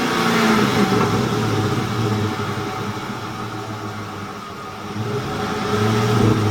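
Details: 2007 Ford F150 5.4 3V after its ticking noise was fixed: an even idle rising into clean revs and settling back, with no tick or tap over the exhaust; normal idle and revving.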